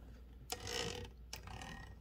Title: Fixing a loud rattling carriage on a Torpedo 18B typewriter (and other issues)